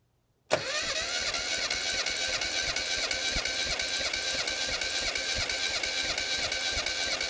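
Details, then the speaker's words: Mini engine being checked for overheating during a cylinder compression test, with the gauge in cylinder one: the starter cranks steadily at about three even compression pulses a second, no misses or dragging. Reading is almost 185, healthy compression. "you're gonna crank it until I say cut then I'll tell you a pressure and you write it down with a cylinder one first"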